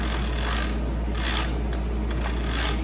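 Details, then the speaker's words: 1966 Mercury 9.8 hp outboard gearbox, water found in gear oil, stuck in forward gear, spun by hand before disassembly: rough, gritty rasping and clicking from a noisy worn bearing. "but I hear the air I'm spinning that that's are noisy bearing that I'm hearing now"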